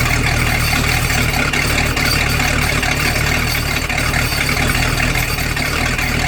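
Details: Boat engine run out of water on earmuffs with garden hose, after newly crimped battery wire connectors: steady, even idle, constant low drone with water splashing, no misfire or knock; normal idle.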